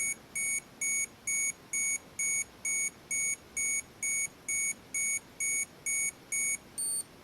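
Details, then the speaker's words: Olympus XA4 Macro 35mm film camera self-timer test: steady high beeps about twice a second, then a higher-pitched note as it is about to fire, and the cycle completes. Normal self-timer. "And so now I'm just going to point it here at us here and push this. We can hear the beep."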